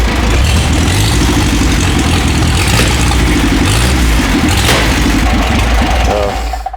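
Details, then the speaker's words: Motosacoche D50 Type 422 showbike, frame number 1, rebuilt after 20 years in parts. The four-cylinder runs with a loud, steady, even beat and no knocks or misses before shutting off; the oil pressure horn works. Healthy running. "Ce son, totalement génial !"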